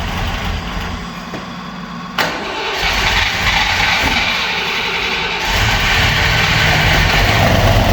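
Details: Opel Manta hatchback with Ascona front end, first start after about 20 years sitting, camera at the front; cranks, catches, then idles with an uneven, slightly stumbling beat, a little missy: mild misfire, cause unconfirmed, points and distributor to be checked.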